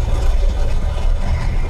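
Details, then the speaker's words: Lada 2114 after about 1000 km of a 2000 km trip, in gear while moving: heavy low rattling grind through the drivetrain, quiets with clutch pressed; manual gearbox failed, worn from oil starvation. "утром мне эту сиги вот это плохо работает вот такие вот звуки пацаны она издаёт"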